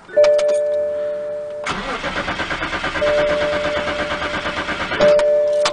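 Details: BMW cranks but won't start, door chime sounding: even starter cranking about five pulses a second, never catching; no fuel because the fuel pump relay (glove compartment area) failed, replacing it fixed it.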